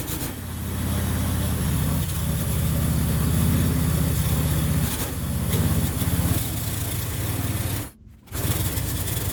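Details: Qualcast Classic Petrol 35S cylinder mower with a cheap Chinese replacement carburettor, main jet opened up: small single-cylinder engine at steady speed with an uneven, lumpy beat and a brief stumble near the end; runs, a bit rough.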